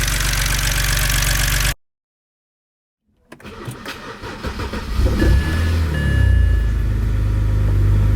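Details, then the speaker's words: Revived BMW 130i holding 6.3 litres of oil, cranking, catching and settling to a fairly even idle with only a faint light lifter tick, which went down considerably after a longer warm-up run. "i actually did run it again last night for a bit longer let it warm up and the lifter tick did go down considerably"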